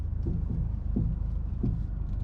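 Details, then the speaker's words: Mazdaspeed 3 past 100k miles, driving after front and rear swaybar end link replacement: dull low thuds about every 0.7 seconds over road rumble; front suspension clunk persists, strut mount bearings also due. "hear that clunking yeah there's something up something is still up up front"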